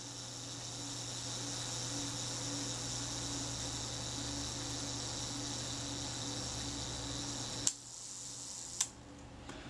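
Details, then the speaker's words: Kodak Retina IIIC repaired after falling in a river, shutter reassembled with retaining ring: steady high buzzing whir for about seven seconds ending in a sharp click; self-timer escapement runs down normally. "I'll just check the self-timer. You may hear that running down."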